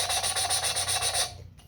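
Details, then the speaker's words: 5.7 Hemi cylinder head, valve hand-lapped with a suction-cup stick; rhythmic gritty rasp about five strokes a second, turning finer toward the end as the seat beds in; valve lapping, seat bedding in. "All this is just a stick with a suction cup on it, and you kind of do it till you hear a sound. Spin it, and you'll start to hear it."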